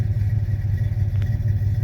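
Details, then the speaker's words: 1985 Chevy K10 V8 idling at 750 rpm after a swap to aluminum heads with roller rockers and matching Edelbrock pushrods; a deep, even burble with no ticking or knocking; healthy. "RPM is at 750. It's kind of for now set up, but I think it sounds pretty good. It's a little bit healthier, so that's my update."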